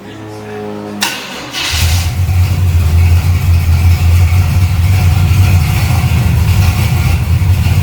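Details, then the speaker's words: Chevrolet Camaro V8 after rewiring: brief crank, catches, then settles into a deep, steady, lumpy idle around 700 rpm with no knocks or misses; sounds like an old pickup, healthy. "It don't sound bad. No, it don't. It kind of sounds like old pickup truck."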